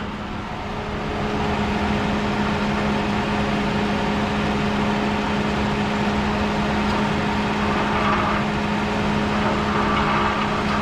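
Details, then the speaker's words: 2011 Ford Crown Victoria Police Interceptor from a police auction: a fine, uneven buzzy rattle from the engine area over a steady idle, heard only at idle and never at speed or under acceleration; owner suspects an exhaust heat shield, unconfirmed. "I don't really know what that is. It sounds like it's kind of a heat shield from an exhaust. It only does it when it's idling."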